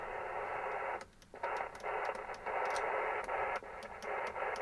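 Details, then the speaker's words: Kenwood TS-130S ham transceiver with a loose, noisy band switch: steady receiver hiss cuts out and returns in short gaps; the switch isn't detenting, wafers are likely misaligned and rods loose, needing tightening and contact cleaning; intermittent signal dropout. "can hear that that bands which is it is I can feel it's not D tenting right on the band and it's cutting in and out so definitely some of the wafers are out of alignment in there and the rods are probably loose"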